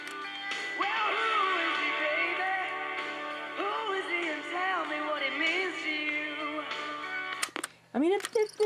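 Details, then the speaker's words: General Electric 3-5027A tape recorder playing music: the pitch wavers, sagging and recovering as the transport struggles to hold speed, giving obvious wow. Owner suspects belt problems and a bad tape. "now you can really hear it it's not it's struggling to maintain speed"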